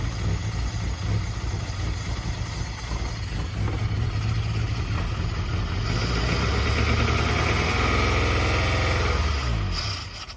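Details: 1991 Suzuki Swift 1.6 AWD saloon, carburettor, running on poured-in fuel: lumpy uneven idle surging irregularly for several seconds, then fades and stalls; owner suspects a blockage stopping fuel reaching the float bowl, not confirmed.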